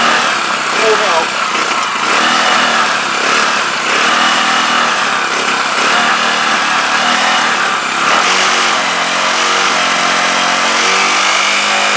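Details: CPI SUV125 scooter just after carb strip, clean and rebuild, run outside with choke held up; small single revs and sags unevenly, never settling; still running rough, cause unknown.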